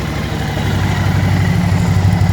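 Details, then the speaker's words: Suzuki DL1000 V-Strom V-twin, 23,000 miles, warm: after spark plug replacement and checks for erratic warm idle, it idles steadily with a low even lope and no misses, though the customer later reported the problem returned. "idling good now though Suzuki DL 1000 also known as a v-strom"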